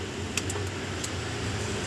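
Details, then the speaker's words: Kenwood KA-891 integrated amplifier, speaker connected, power cycled: two or three crisp clicks over a faint fan hum as both protection relays switch in normally, yet no sound output; rusted parts suspected. "Okay. Dalawang relay ang gumagana, Ber. Gumagana yung relay."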